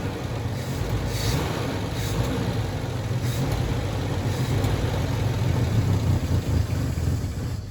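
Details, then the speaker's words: Volvo 164 B30 engine, first start since 1994, after a cooling flush, oil change, new cap and rotor, with no choke, no water pump and no alternator, not warm: a steady rumble rising smoothly with throttle, no knocking; healthy. "no she sounds fine she sounds really healthy kept running it i didn't have the choke on but really healthy"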